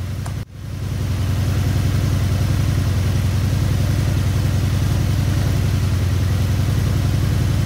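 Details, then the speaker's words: Honda VF750 Magna V4 with four carbs, rebuilt a year ago then left sitting about 10 months, idles with a low, lumpy beat unchanged when one carb's mixture screw is turned fully: that carburetor's idle circuit is clogged. "that one zero change turn it all the way up in there nothing happened it sounds identical to the way that it has been sounding the whole time it's been idling"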